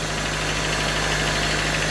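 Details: Honda Civic 1.6L idling just after start-up, after a new valve cover gasket, spark plug hole gaskets and distributor O-ring fixed a leak: a smooth, even hum with no knocks, misses or ticks, the engine running right.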